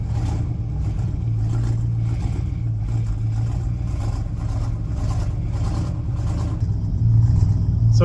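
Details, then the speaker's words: 1972 Ford F750 "Super Pickup" V8 with carburettor and choke, first start: a lumpy, irregular, rough idle. Afterwards only about six volts is measured at the coil, blamed on a faulty resistor lead. "you can see she kind of sounds like hot garbage you know but it does kind of run so you know that's winning so far"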